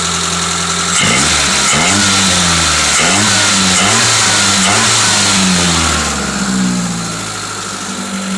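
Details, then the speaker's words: 1984 Toyota Corolla SR5 AE86, left-hand drive, heater core disconnected for leaks: steady even idle, then several clean revs climbing and dropping smoothly with no misses or knocks; runs good. "so we'll see about fixing that but you can hear it runs good"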